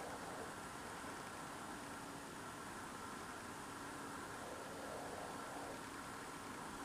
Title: LOUD strange Idling noise Strange Noise in the night for the last 2 nights